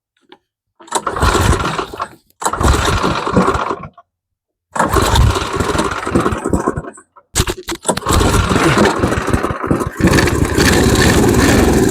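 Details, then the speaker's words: MTD Snowflight two-stage snowblower with a Tecumseh 8 hp Snow-King engine, cold start on choke and prime after possibly flooding: a few stumbling pulls with gaps, then it catches and settles into a steady, even run; starts and runs. "There we go, she's running. We did it."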